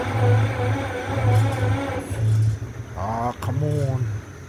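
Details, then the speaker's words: EMD MP15 switcher locomotive diesel, cold start on weak batteries: slow, labored cranking at about one turn a second before catching, running rough and smoking. Hard start from weak batteries. "She got dead batteries. She's smoking. I gotta tell you, that was a cold start."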